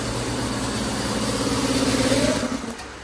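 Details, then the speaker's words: Ford Everest after fixing a loose washer on the hydraulic timing belt tensioner assembly, cover still off: smooth, even idle with no coin-like rattle or slapping before it winds down; timing belt no longer flaps, rattle gone. "Ay, bandar na? Tahimik na. Tapos, hindi na pumapagpag yung timing belt mo. Wala na yung parang barya."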